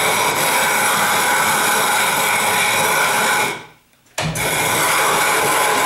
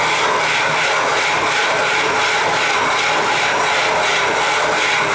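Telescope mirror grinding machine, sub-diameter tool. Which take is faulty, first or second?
second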